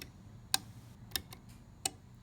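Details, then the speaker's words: Defiant sunlight-adjusting digital timer, manual on/off toggled by pushing its door in: three crisp, isolated clicks on a quiet background; the timer relay switches normally. "Now, when you push this door in, that's the manual on and off, and you can hear"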